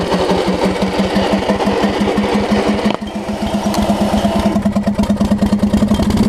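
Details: Lowe's riding mower after ignition repairs: the single-cylinder engine pops along evenly, then its firing eases to a slower, steady idle with no misfires. A leaking carburetor needle and seat is still suspected.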